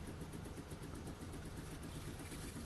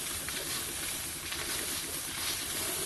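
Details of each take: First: Steam cleaner pump running after filling with water, feeding a homemade plastic connector hose with an inline tap to the wand. Steady low pulsing buzz, no knocks or rattles; pump running normally. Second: Steam cleaner with a homemade plastic hose on the wand fitting, no clamps. Steady steam hiss over faint pump patter, then a sharp pop. Steam leak at the hose connection; hose clips needed.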